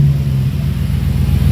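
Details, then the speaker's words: Jeep Grand Cherokee WJ V8 just fitted with a new Magnaflow muffler and straight pipes, with the resonator removed and the cats retained, given a little gas. A deep, even burble with no rattles or leaks: healthy V8 exhaust. "it a little gas all right yeah it sounds pretty good yeah that sounds pretty good gap oh yeah v8"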